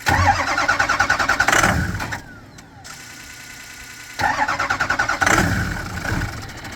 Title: 2007 6.0 Crank no start.